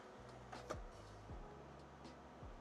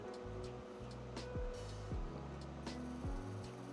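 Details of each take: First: Original Xbox DVD drive after recapping: faint low motor hum rising and settling with soft ticks as the disc spins up; drive spins normally and boots Halo 2. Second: Original Xbox DVD drive in a 1.4 GHz CPU console, tested with a disc inserted upside down: motor whirs up in short rising sweeps with clicks, seeking repeatedly but never reading; disc not recognized, fix unknown.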